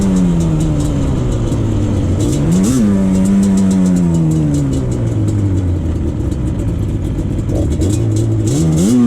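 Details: 2001 Yamaha Banshee 350 two-stroke on a POV test ride after an exhaust leak was fixed with new clamps. Crisp buzz rises and falls cleanly through the gears under load, with no puffing or ticking from the pipes. The bike now pulls harder; normal two-stroke running.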